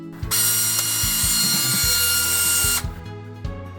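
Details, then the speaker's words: Canon 6D Mark II camera humming at power-on, sometimes even when switched off with battery in: sharp high buzz with ratcheting clicks about 2.5 seconds; worn shutter drive gears, apparently from heavy load, to be replaced. "причина заключается в приводе затвора"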